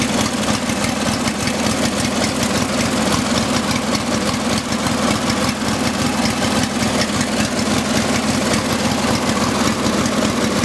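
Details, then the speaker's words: Craftsman riding tractor twin engine after sitting about six months: steady, even idle with no misfire, running on both cylinders. "dry the motor is not shaking too badly so I know it's running on both cylinders"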